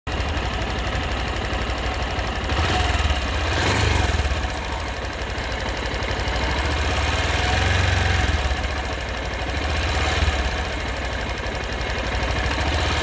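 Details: Honda XRE 190 with intermittent engine noise when revved hard; slow rev swells with a rough, rattly edge that comes and goes at higher revs; cause unknown.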